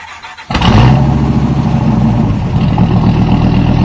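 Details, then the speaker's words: Dodge Viper 8-liter V10: the big engine barks into life and holds a deep, even, smooth rev with no knocks or misses. Normal, healthy engine revving. "Plus, not that I would do it, but it'll do almost 200 miles an hour, and it sounds like this."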